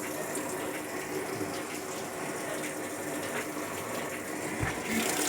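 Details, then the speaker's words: Sharp ES-F69 top-load washer set to 6-minute spin on Normal, won't spin-dry: steady rushing water with no drum spin beneath; refills instead of spinning, lid switch and drain checked normal, program fault suspected. "แล้วก็อาการที่เห็นนะครับน้ำจะเข้าอีกรอบนะครับ"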